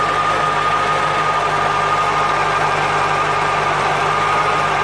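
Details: 1996 Corvette C4 LT4 with ZF manual gearbox at idle: a steady thin whine at one pitch with no clunks, suspected from the gearbox but unconfirmed.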